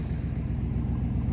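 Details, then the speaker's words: Chevrolet C2500 truck at idle with poorly fitting plug wires: low uneven idle with periodic stumble and sputter, door shaking in gear; ignition misfire/skipping, otherwise runs fairly well. "plugged it running better now but you see again sputter but it sounds pretty good other than that"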